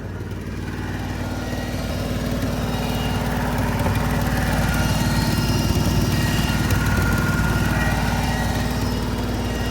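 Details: Rolls-Royce bought cheap, started on a jump pack at 32° outside, slack belt and loud whine noted: loud lumpy V8 idle with uneven pulsing and raspy edge; owner suspects blown exhaust and needing oil.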